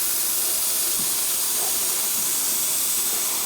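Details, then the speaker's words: Rear tire (about 200 width, 18-inch) of a 2010 Harley Softail, slightly modified, at about 33 psi: steady even hiss of air escaping through a nail puncture; needs a tire plug. "We need a plug. Looks like we need a tire plug."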